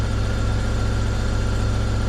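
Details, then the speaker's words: BMW E36 316i Compact M43B16 petrol idling steadily with even low thrum and no rattle after replacing stuck water pump, pulley and belt; rattling was from old water pump. Normal idle. "Wow. The rattling noise is gone. So, uh, the water pump was actually making all that noise."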